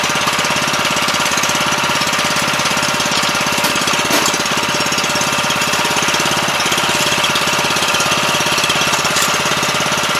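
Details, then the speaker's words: 7 HP Kohler air-cooled engine on a small hydraulic power unit, not run in at least two years, first start after carburetor cleaning: quick, even putter at idle, steady firing, no misses or surging. "may have to let it run an idle a little while to let all that stuff kind of get flowing again"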